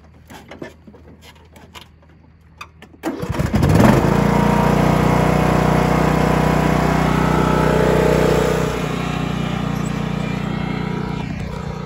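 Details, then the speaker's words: John Deere LA115 riding mower that stalled after mowing because a clogged vented fuel cap left the tank under vacuum; with the cap loosened it catches after about three seconds and runs steadily with no stumbling, normal running. "back to mowing so either we got to clean that cap or just get a new one for a while there it was really perplexing me"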